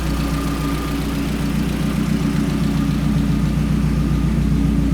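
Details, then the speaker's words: Mazdaspeed 3 after cylinder head rebuild with aftermarket Kelford stiffer valve springs and camshafts: steady idle with even light ticking nearly four a second, louder valvetrain from the stiffer springs, common and harmless. "The stronger, stiffer springs are a little bit louder, and that's something that I've done a little bit of homework on, and it's pretty common."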